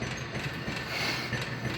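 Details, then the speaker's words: 1950s Popcorn Shop dime popcorn vending machine, fully restored and rewired: even whir with light ratcheting gear clicks as cup dumps corn into kettle and returns for refill; hot plate 350 to 400 degrees; normal cycle. "And here goes the corn being dumped into the cooking kettle. The cup returns back to be replenished with another batch of corn for the next vending cycle."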